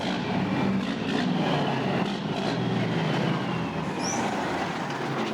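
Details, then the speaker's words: Diesel engine after Pypes 7-inch stacks, running with tap water in the cooling system before a flush: deep, even steady idle, hardly any smoke, no misses or knocks; running smooth and healthy. "Hardly any smoke at all come out of that thing. Sounds good. It just sounds really good."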